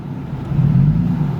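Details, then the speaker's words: 1975 Toyota Celica swapped with a 3SGE BEAMS engine, newly upgraded EFI fuel pump: engine bogs into a heavy, low labouring drone whenever the AC switches on, nearly killing it; AC compressor found seized and dragging the engine. "and then my ac compressor seized dude my ac compressor was seized"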